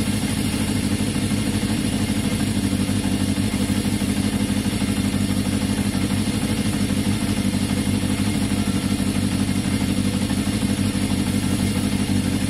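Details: 1981 Yamaha XJ550 with an intermittent fault that usually shows 15–20 minutes into a ride. It idles evenly during a brake-fluid spray test for air leaks, and engine speed neither rises nor falls, so no air leak: normal idle.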